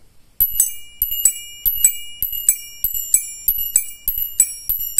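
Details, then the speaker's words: 12 V bell-type turn signal chime meant to be added in the cabin, to be wired to body ground and the flasher output to the lamps: bright bicycle-bell dings in quick pairs, about a hundred pairs a minute, in time with the flasher; working normally. "dengan menambahkan alat ini di dalam kabin misalkan ini langsung dapetin ground body dan ini dapetin plusin yang keluar ke lampu dicabang ke sini nanti akan menghasilkan suara seperti ini teman-teman"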